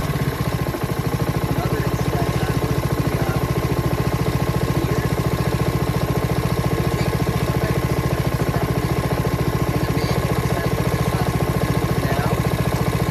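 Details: Honda HRX217HYA mower, under a year old and under 5 hours, after replacing the failed auto choke part: starts on one pull, fast steady even beat holding speed without surging or misfiring; running right.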